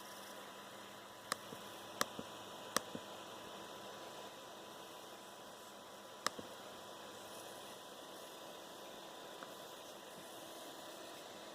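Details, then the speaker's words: Dell XPS 13 9360 with Core i7 and QHD+ touchscreen: faint, thin steady metallic tone over quiet hiss, coil whine from the processor area at the back right of the keyboard, intermittent and worse as it heats up. "so basically it's just really annoying metallic noise it resonates from inside the X XPS 13 um it kind of comes from in the where the processor area is"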